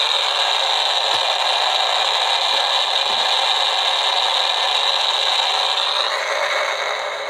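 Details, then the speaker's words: Homebuilt AM superheterodyne receiver tuned near 1390 with antenna on clip leads, not wired in: steady hiss with a faint high whistle and no program audio; the local station isn't being received. "so my my deal is I don't think it's actually picking up the radio station though"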